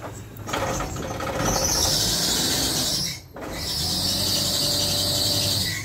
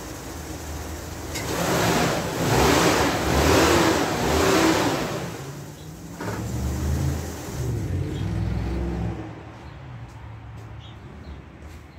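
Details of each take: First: Power-steering pump drive belt on a van squeals loudly and shrilly over the running engine, dropping out briefly then returning; belt already tightened, squeal persists for years; owner plans rubbing candle or surfboard wax on the belt's inside. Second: Van engine after wax was rubbed onto the power steering pump belt: revs up and settles with no belt squeal, engine warm; the squeal was worst from cold starts.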